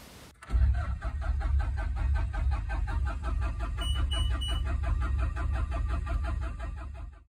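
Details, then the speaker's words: Bobcat T870 diesel skid steer bought non-running from auction with drivetrain issues, fuel codes cleared; M0309 low-battery/insufficient cranking amps code. Starter turns it over strongly with even chugging for about seven seconds but it never fires; crank, no start. "so the m0309 code is just saying that the low battery or doesn't have enough cranking amps to turn the machine over"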